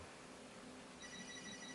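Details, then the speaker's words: Commodore PET 8296 running a disk torture test on an IEEE 4040 dual drive: single steady high-pitched bell alert (chr$(7)) 13 seconds in, signalling a drive error. "We hear the alarm! The error occurred 13 seconds into testing."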